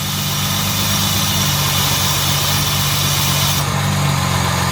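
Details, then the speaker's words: Jaguar MKII after reassembly, engine running, possibly faulty new alternator: smooth, even idle at about 800 rpm with a steady low hum, a couple of little rattles and no knocks or misses; the engine sounds healthy. "now listen to her doesn't she sound good I got a couple of little Ry rles in there but nothing terrible"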